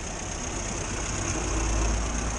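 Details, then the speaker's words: 1962 Morris Minor with suspected ignition fault after breakdown, just after tightening a loose part: steady even low idle, smooth rhythm, no misses, knocks or squeals; running healthily. "sounding all right so we'll see what happens next"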